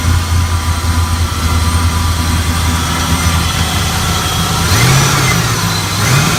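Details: 1978 Chevy Caprice Classic Aerocoupe, 5.3 LS (LM7) swap with ProCharger, first start-up: deep, even idle with clean throttle blips that rise and settle smoothly, no knocks or misses. Normal, healthy idle.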